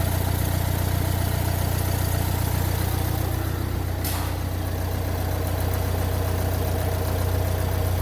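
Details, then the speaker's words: Renault Trafic III diesel with P0335 fault, crankshaft position sensor found completely unplugged, long cranking: heavy, low rough idle at a steady beat about two and a half per second, still running with the sensor disconnected. "As you can see, this this is the crankshaft position sensor and this is the connector. It's completely disconnected."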